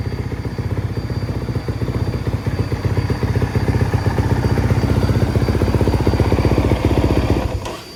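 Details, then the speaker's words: Honda CRF450R-based three-wheeler trike build, 250R theme; crisp single-cylinder bark with steady pulses rising and falling on throttle blips, clean and even before shutting off; healthy engine. "Sounds good. Cool."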